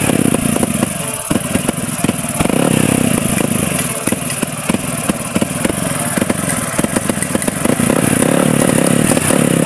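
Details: Motorcycle that stopped running, after water-contaminated fuel was drained and a leak fixed: loud single-cylinder running with an uneven, stumbling beat and irregular popping gaps, a misfire suspected to come from the CDI, which is being swapped to test.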